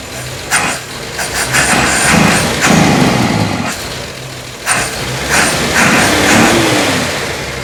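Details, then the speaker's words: 1952 Chevy Styleline Deluxe petrol engine with Rochester carb, new fuel system and exhaust, cold idle just after a stuck float needle was freed; lumpy idle with lazy blips, cold so reluctant to rev, no knocks or misses, carb overflow leak seems to have ceased. "of course it's a little cold so it doesn't want to rev for me"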